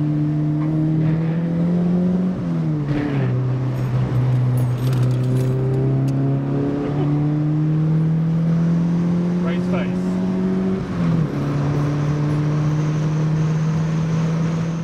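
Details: Mk1 Fiesta XR2 with Jenvey throttle body and Omex 600 EFI, after remaking the inlet manifold and laptop mapping, driven in snow: pitch rises smoothly, drops at each shift, no stumble or hesitation. Runs healthily after the fix.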